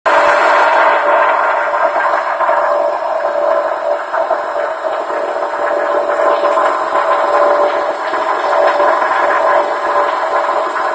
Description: As you can hear, the motor is making a weird noise, this has been going on for couple months now, but nothing has been affected( from what i can tell), kept up with oil changes, so i know my oil level is good, any info would be nice!